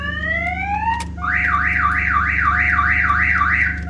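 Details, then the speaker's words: 1990 Toyota Supra MK3 no-start: a short rising chirp, then the aftermarket alarm siren warbling up and down about three times a second as the car is cranked. Owner suspects the alarm blocks starting; starter, starter relay, plugs and coil wires already replaced. "so I'm thinking that it might be because of this alarm system but if I go to put my wiring here it starts beeping right so that's loud"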